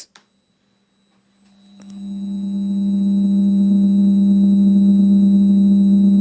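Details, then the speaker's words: Microphone recording with an unwanted electrical hum: steady low buzzing around 200 Hz with a faint high whine, held constant, very unpleasant especially through headphones. "voilà ça ressemble à quelque chose comme ça et c'est très très désagréable"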